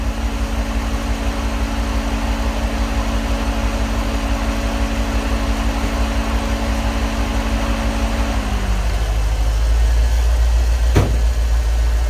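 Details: 1989 EFI Ford 460 V8 tow truck with a new 3G alternator, idling with the lights on and the fan off, drawing about 17 amps: a smooth, steady low rumble as a whirring tone drops away, with no stumble; the alternator squeaked earlier when revved.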